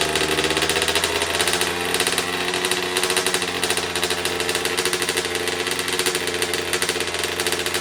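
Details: 2009 Kawasaki KX85 two-stroke, first start after carb work, before correcting the fuel mix to the manual's 32:1 (ratio suspected off), small leak present: fast, raspy popping with an uneven, slightly hunting idle; running rough.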